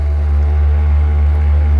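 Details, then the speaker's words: Avhrit 6-inch cordless buffer polisher on the high setting, polishing the paint of a 1970 Torino: a steady low motor hum that sags in pitch once the pad is loaded, RPM dropping about in half; it lacks power and suits hobby use. "the RPMs drop like in half. So at best, guys, it's a good hobby polisher."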